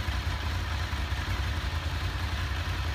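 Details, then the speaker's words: Honda VFR 750 after clutch basket repair (clutch-side knock that worsened when hot): idle with the clutch pulled and released, a smooth even thump with only light camshaft ticking; the knock is gone, normal. "слышно как распредвалы работают и всё А там еле-еле что-то намного лучше стало ну в принципе тук вообще ушёл не стучит"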